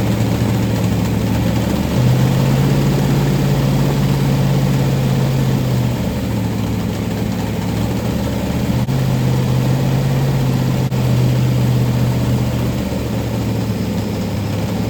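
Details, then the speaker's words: 1990 Lincoln Town Car with 5.0 V8 and T-5 manual, first fire after rebuild with Holley carb and long-tube headers: lumpy idle with a fast puffing tick over the exhaust note; sounds like exhaust leaks in many places. "so sounds like we got like exhaust leaks all over the place it's a mess right this minute"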